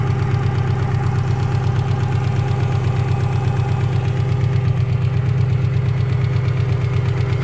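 A steady, regular knock of roughly three per second rides over a cold idle, loud and even throughout.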